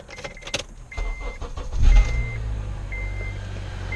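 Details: 2006 Acura TSX 2.4L i-VTEC, start after serpentine belt replacement: chimes and clicks, engine cranks, catches and settles to even idle with no belt squeal; squeaky noise gone, sounds healthy.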